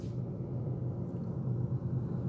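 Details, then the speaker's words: Whirlpool fridge-freezer 6ED2FHKXRL04, about 12 years old: low steady droning groan with a rough rumble and no clear rhythm; evaporator fan motor. "but it's it's kind of just sounds like a fan now but it really gurgles and moans and sometimes at night because we've got polish boards throughout our house it echoes a bit"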